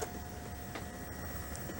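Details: 1996 RCA VR652HF VCR after repair of gooey belts and PCB damage. Steady low motor hum with a faint tone and light periodic ticks as the tape plays with video; the transport is working normally.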